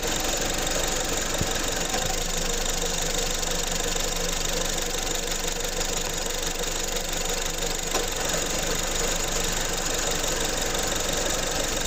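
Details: 2015 Honda Civic engine: steady idle with a faint uneven rattle around four a second under a hissy background; engine noise at idle, cause not clear.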